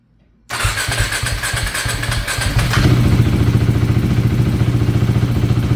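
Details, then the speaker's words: KTM 390 Duke just after start, before idle relearn: single thumps settle into a fast, uneven idle with a stumble; running very lean, not enough fuel. "so running real lean right here so that's what I'm talking about you can see it's running super super lean"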